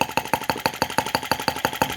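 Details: T16B Lanz-type brass half-tracked model tractor on its first start, fan running: slow, crisp single-cylinder firing at about six even beats a second with no misses; normal, healthy low idle, slow revving.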